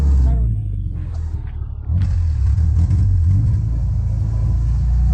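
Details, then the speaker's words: Subaru just fitted with a junkyard transmission, running with only the resonator and no muffler connected; a deep, steady exhaust rumble swells with revs and settles back, no rasp or rattle. Normal exhaust note. "I'll tell you what it's actually pretty goddamn quiet for not having the muffler hooked up just a resonator it sounds normal"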